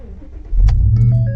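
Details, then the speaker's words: Ford Raptor with a P0456 code that stalled after refuelling: on the second fill-up after the purge valve was replaced, a short crank, then it catches at once and idles steadily. Normal start, problem fixed. "boom started right up no problems"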